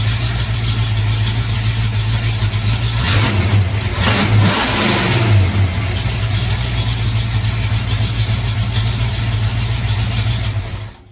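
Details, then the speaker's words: 1984 Mustang GT350 5.0 V8, after installing a new high-torque mini starter to cure heat-soak no-starts: brisk, strong crank catches almost at once, then revs and settles smoothly. Normal cranking, noticeably more starter power than the old one. "all right so she started right up I can instantly hear the difference in that starter just the power that it has compared to the old one"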